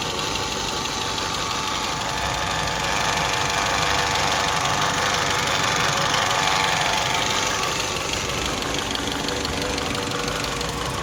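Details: Saab 9-3 2.0t Aero 2004 at 300,000 km: fast, even metallic rattle about three times a second over the idle, riding on top of the engine, from a broken cam chain slide/guide; engine was replaced.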